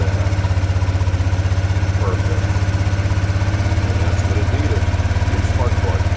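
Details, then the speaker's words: ATV small single-cylinder engine just after spark plug replacement: fires up and holds a steady, even thumping idle with no misses or stumbles; new plug fixed it, normal idle. "plug. Idles down real nice."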